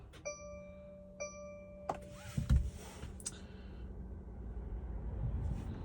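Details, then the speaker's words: 2024 Mercedes Sprinter with random no-start; battery fine and starter recently replaced. Start button pressed with foot off the brake gives a couple of chimes and a dull clunk, then nothing; the starter never turns the engine. "Foot is not on the brake, and I'm going to hit the start button. It's basically the same thing. Off. Foot is not on the brake. Nothing."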